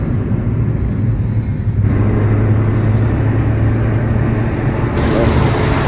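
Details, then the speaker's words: 4-cylinder Suzuki Swift driving after repair of a short-to-ground circuit that caused a flooding injector and constant misfire: even low engine drone under road rumble, no stumble or hesitation; runs smoothly, fault solved. "this is the aftermath after the repair I am driving the vehicle in good running conditions without hesitation"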